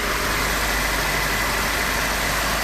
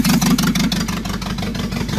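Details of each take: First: Renault 18 with 2.0 carbureted engine after carburetor tests and advancing the distributor, all hoses connected: a steady, even hum with only belts, pulleys and combustion heard, no misses or knocks; the fast idle runs properly. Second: Renault 18 2.0 engine, exhaust pipe disconnected (open exhaust): loud, choppy idle whose revs sag and turn lazy as the distributor is turned to retard ignition timing; revolutions fall, engine reacts less.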